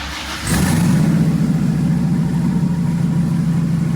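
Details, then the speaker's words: Freshly rebuilt twin-turbo LS Camaro (Lunati forged crank, billet I-beam rods, Wiseco forged pistons) at idle: loud, slightly lumpy with an uneven pulse; noise worse when hot. Owner suspects injectors over 10% deviated so cylinders aren't firing equally; loose plug wire reseated. "so some of the cylinders aren't firing all the same"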